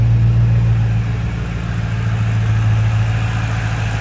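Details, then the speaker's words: Ford 4.6 3V V8 just rebuilt with ported heads and new timing set, stock and quiet: smooth, even low hum at idle with no ticks, knocks or misses; normal idle. "Alright guys, it's so quiet and so stock."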